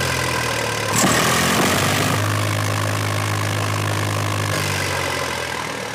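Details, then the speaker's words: Eicher 485 tractor diesel after fixing white smoke and hard starting: even, steady beat at about four per second with no misfire or knocking; it had been sputtering before, now fires evenly and smoke is gone; normal idle. "तो देखा दोस्तों आपने बिल्कुल एक Hisar firing दे रहा है"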